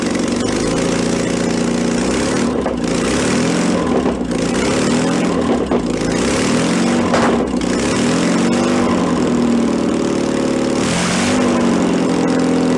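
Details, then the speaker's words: 1966 VW bus engine from a barn, restarted on fuel primed into the float bowl, automatic choke still warming. It runs fast and uneven, pitch rising and sagging. The carburetor throttle is sticking and not returning. Finding: fast idle from a sticking carburetor throttle. "yeah probably gonna play with that a little bit I don't need to or not but let's a little bit the car was kind of sticking to it's not return it step it up it's got a stepper on this"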